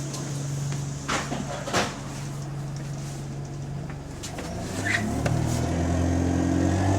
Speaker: How flipping noisy this thing is, fam. Watch, you'll be shocked, fam. It just happened all overnight.